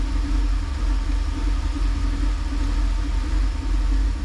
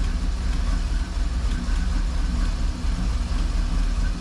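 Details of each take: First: 1988 Camaro IROC Z28, 350 TPI, 700R4, EGR disconnected: steady, even low rumble with no misses, knocks or surges; on this restart the idle is normal and it was ready to drive within 30 seconds. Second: 1988 Camaro IROC Z28, 350 TPI, 700R4 overdrive, EGR disconnected, restarted: steady, deep idle sitting slightly low and lazy; in this low-idle state it shuts off as soon as the throttle is touched, cause unknown.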